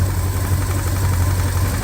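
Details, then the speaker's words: Cold 1965 Ford Fairlane with a recently rebuilt 1978 302 V8 (replacing a blown 289), new motor and transmission mounts, just started: heavy loping idle with uneven throb and shaking; previous engine did the same, harmonic balancer suspected, unconfirmed. "and like I said the other engine also did this these are brand new motor mounts brand new transmission mount the only thing we're curious about is maybe that balancer just isn't there"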